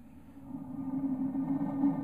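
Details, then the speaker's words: Atwood RV trailer water heater gas burner after its air shutter was adjusted for a blue flame with a slight yellow tip. A soft, even low roar with no flutter or rumble. Normal burner operation. "this is the way it's supposed to be running right now it's got a ni nice good flam"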